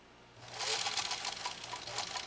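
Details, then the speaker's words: Restored Singer 66-16 with renewed motor sewing two compressed layers, power deliberately throttled back: steady, even run of quick needle stitches over a soft motor hum at a controlled slow speed; healthy, normal low-speed sewing. "And I'm really going to tame the power back just so I can really demonstrate that even though this power now in the motor is absolutely renewed, you don't have to let it run away."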